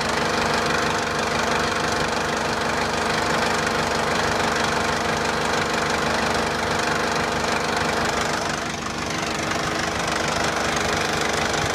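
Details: 2004 JCB 2CX (212S) with Perkins Tier 2 four-cylinder diesel at idle after the weak electric lift pump was replaced: a steady, even clatter with no misses or knocks. The sediment bowl now stays full of fuel. Normal diesel idle.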